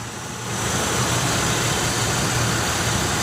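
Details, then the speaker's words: 2007 Chevy Uplander Braun wheelchair van, 3.9 V6, 234 miles on the odometer (likely thousands), well maintained: even, steady idle with no knocking, ticking or misses, settling smoothly; the V6 sounds healthy. "the 3.9 V6, which everything I've read, they've been real good to us, and I've heard they're good engines."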